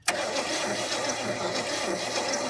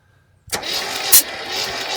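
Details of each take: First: 1972 GMC truck that sat 30+ years, cranking after fixing vacuum leaks: steady six-second starter churning with no firing at all; owner thinks ignition timing is 180 degrees out, judged from the timing tab. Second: 1972 GMC 1500 after sitting about 30 years; a valve thought to be hanging slightly open was treated with penetrating oil: starter cranks with firm, even compression pulses about once a second; compression restored, cylinder sealing again.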